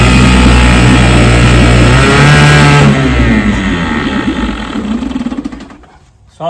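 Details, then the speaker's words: Vintage 3 hp Evinrude/Johnson two-stroke outboard: fast buzzing with one side's spark jumping in and out, then running down and stopping. Intermittent misfire, dirty points suspected, plan to clean them. "don't know if you could tell, but it's got a little bit of mist to it. It's like one of the spark one side is jumping in and out."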